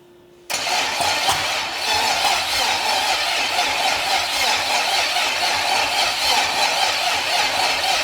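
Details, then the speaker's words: Freshly rebuilt Buick straight-8 on an engine test stand. The starter churns steadily at about four beats a second with no firing. Cranks but won't start because the distributor was installed 180 degrees out. "someday on one of these engine builds i'm going to actually put the distributor in not 180 degrees out"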